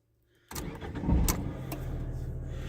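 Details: Ford KA, 116,000 miles, starting: the starter catches quickly and the engine settles into an even, steady idle with no knock or misfire. The engine sounds fine; a strange noise is suspected to be the clutch release bearing or the gearbox instead.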